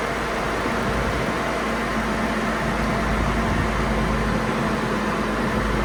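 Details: 2002 GMC Envoy, previously loud with a jet-like cooling fan and code P0495 from a failed fan clutch, after the fan clutch is replaced. A steady, even engine hum with a soft fan whoosh and a faint constant tone, no roaring rush; the fan sounds normal.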